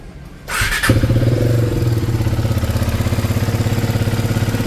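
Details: KTM Duke 250 single at idle before engine work, bike also smoking: fast uneven clatter about three per second; mechanic blames badly worn tappet shims, loose timing chain, plus valve and piston noise.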